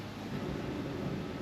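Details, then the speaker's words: Front wheel spun freely on a 1998 Ford XH Falcon during front suspension work: steady rough low grumble, a worn front wheel bearing; matches the noise heard earlier, replacement kit on hand. "So, spins quite well, but you can definitely hear that wheel bearing. She is grumbly."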